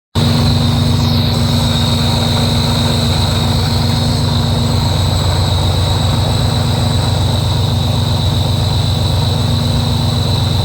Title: Weird noise on a Rotrex Supercharger, any idea if its normal, or if theres something wrong